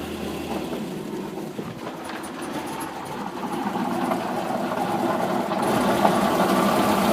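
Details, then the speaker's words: Cold engine that won't idle cold, throttle held to keep it running, with a steady rapid knock getting louder as revs rise, still knocking at 1600 rpm; oil temperature not yet moved. "Cold engine. Bad knocking, bad knocking. Even at 1600, it's knocking."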